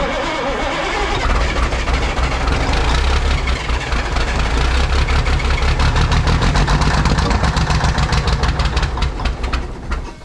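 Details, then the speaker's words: Ford cabover 14 L Big Cam Cummins diesel first running after 10+ years sitting; low thumping, uneven beat that stumbles and surges; owner suspects remaining air in the fuel system, fuel return temporarily not routed to tank. "you might just be working out the remaining little bit of error in the fuel system"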